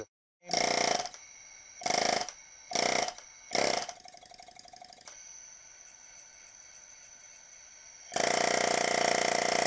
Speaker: As soon as you plug it into the air hose and turn up the little power adjuster knob there, it goes right to town. So let me show you. Immediately hear the air hissing.